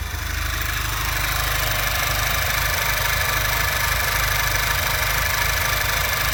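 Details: Audi A3 2.0 TFSI stage 2 petrol idling roughly with a low lumpy pulse about twice a second; check engine light with misfires on all four cylinders; PCV valve replaced without change, owner next suspects the aftermarket air box.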